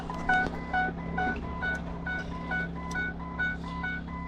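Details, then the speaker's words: 2008 Ford E-350 Econoline no-crank, no communication to the PCM, PATS theft light flashing fast: quick, regular two-tone chime repeating about twice a second without letup; persistent dash warning, cause not confirmed. "Alright, well, it's still making that noise. Let's see."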